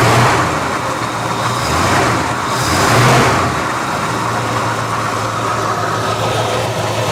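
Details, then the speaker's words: 1973 Dodge camper truck, sat 25 years, first run after revival: even, smooth idle with steady low rumble, no misses or knocks, building oil pressure, no fuel leaks; running healthy and quiet. "Wow, it's really quiet. Wow, I'm very impressed. There's no fuel leaks or nothing. That is a sweet motor."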